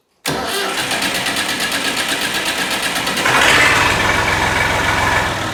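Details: Massey Ferguson 135 diesel tractor (fire-damaged, fitted with Trima 810 front loader) starting after starter motor replacement, formerly slow-cranking and clanking: quick steady cranking, engine catches and settles into even diesel clatter with no clanking; healthy starter.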